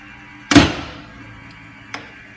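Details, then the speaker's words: Maxon Series 5000 shutoff valve with the valve-open switch actuator deflected, so the motor keeps running: a heavy clunk, then a lighter click about 1.5 s later, repeating as the valve opens and snaps shut again. "so what we had is the valve just cycled over and over and over again it actually physically goes open but then it goes closed right away"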